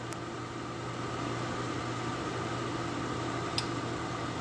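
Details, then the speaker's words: Lasko 1500 W, 12.5 A electric heater: steady fan hum with two sharp clicks about 3.5 seconds apart as it switches from 750 W low to 1500 W high setting; normal switch click. "so when we turn it back that's burning on 750 watts when you hear that clicking then when you hear it clicking"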